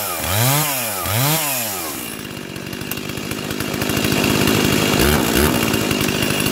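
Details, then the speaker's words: Junkyard Stihl 036 chainsaw fitted with an MS360 clutch and a 20-inch bar, carburetor already tuned: two sharp throttle blips rise and fall cleanly, then it settles into an even, steady two-stroke idle. Normal running. "And so let's fire this bad boy up. And I did already have it running, and I tuned up the carburetor."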